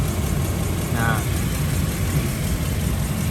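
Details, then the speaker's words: 2001 Toyota Kijang Krista 2.0 EFI petrol manual, 109,000 km, idling: low, steady, even hum with no ticking or tapping; older-style injection engine described as very smooth, healthy idle. "n istimewa mesinnya tim mesin lawas mesin sudah injeksi injeksi model lama ya tidak helm sama sekali suaranya halus banget"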